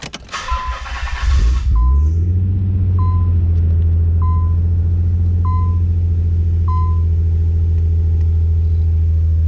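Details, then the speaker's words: 1993 Nissan 300ZX with Stillen headers and Billy Boat exhaust, cold start: brief crank, catches cleanly, settles into steady even fast idle with soft warning chime; no smoke on startup. Normal cold start. "This car's got great sound with the Stillen headers with the Billy Boat exhaust on there. It sounds like a little Ferrari 308 GTS, but you be the judge of that."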